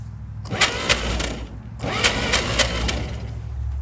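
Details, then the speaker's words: 1937 Chevy truck sitting about 45–50 years, new start button, cap and plug wires refitted: starter churns in two uneven bursts without firing; seems no spark. "like it's not even getting fire at this point put some gas in it and"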